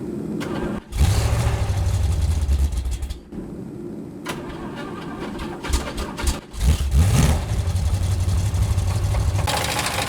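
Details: Pontiac 350 V8 in a 1978 Firebird Formula 350 cranks, fires and idles with a rough low rhythm and a deep knock that worsened with every start; the engine is pulled for a teardown.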